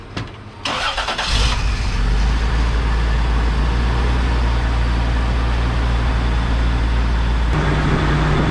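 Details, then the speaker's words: Pickup with a swapped 3.4 engine after replacing the fuel pressure regulator, transmission mount and O2 sensor: cranks briefly, catches quickly and settles into a steady, even idle without misfires; it has always had a slight shake. "i can tell when it's off a little and it feels pretty smooth it's always had the slightest little shake"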